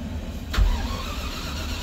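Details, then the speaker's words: Land Rover Discovery V8: starter grinds on a long first crank before the engine surges and settles into steady idle; it always starts hard first time but instantly on a second try, owner suspects fuel pressure loss or needs a check valve. "kręci kręci kręci o chcę już odpalić ale mówię jak się go wyłączy włączy jeszcze raz od razu tak ma"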